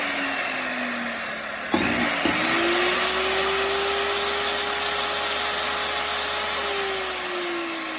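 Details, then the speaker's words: 20-year-old Bosch 4000 10-inch table saw motor wired directly to the switch, speed control board disconnected: spins up quickly to a steady clean high whine, no surging; normal full speed, control board seems to be the issue. "it would seem that the control board is my issue"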